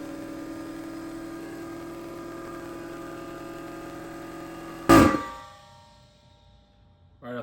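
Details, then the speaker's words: Harbor Freight 21-gallon air compressor, about 15 years old, after fixing leak and cycling by tightening the coil spring on the compressor's seal side, pressure switch about 135 PSI: steady pump hum then sharp clack at shutoff, no hissing; normal running. "don't hear any leaking now just good it was leaking right here"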